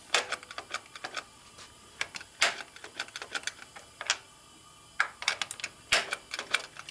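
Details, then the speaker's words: 1972 Harley XLCH Sportster ironhead, during clutch cable adjustment: sharp irregular clicks in small clusters, no engine running, persisting after adjuster change; owner suspects a problem in the clutch release worm mechanism, perhaps a bearing fallen out, unconfirmed. "well I know something's not right and I don't like not right so that means we're pulling all back apart CU I don't like that noise"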